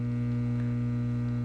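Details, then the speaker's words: Webster 81B15 tube amplifier after output transformer rewind, only two filter capacitors (39µF 500V, 22µF 450V), no negative feedback: soft steady low hum, no crackle or buzz; surprisingly quiet mains hum. "that's actually pretty quiet considering that uh I've only got two filter capacitors in this"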